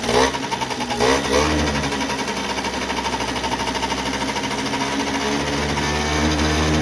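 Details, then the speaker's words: 1989 Yamaha Riva Razz 50cc two-stroke scooter (SH50), off the road since about 2011, at its first start, running from a small external fuel tank. A couple of blips, then a steady buzz settling into an even idle with no misses; it runs normally. "Boom, it started right up."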